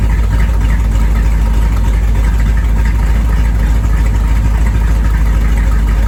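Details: 1973 Corvette, first drive in five years: deep, even V8 rumble with a steady loping beat and no knocks or ticks; healthy small block running clean.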